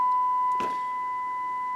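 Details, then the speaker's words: HH Scott R 316 receiver on phono input fed a 1 millivolt test tone after adding 470k resistors to address a loud scratching noise; steady pure mid-pitched tone with faint hiss and a click, clean on both channels. "let's feed it one millivolt [Music] sounds good on both channels so"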